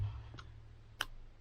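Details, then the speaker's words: Mitsubishi Evo with LED indicator bulbs, new adjustable LED flasher relay set fully anti-clockwise at minimum; sparse single ticks about half a second or more apart over a low hum; flash rate way too slow. "you can hear the tick speed you can see the tick speed there so that is way too slow"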